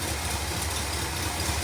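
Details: 1966 Cadillac Eldorado V8 after carburetor rebuild and fixing a fuel pump gasket leak: steady low burble with an even rhythm and no knocks or misses, warming up; normal cold idle.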